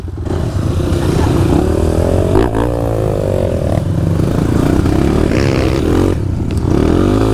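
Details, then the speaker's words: Trail bike engine running rough at light throttle, stumbling and dropping out every second or so; misfire caused by the choke left on, not fuel. "Tá falhando ainda. Opa! Tá ouvindo? Liga aí, não era nem a gasolina, era afogador."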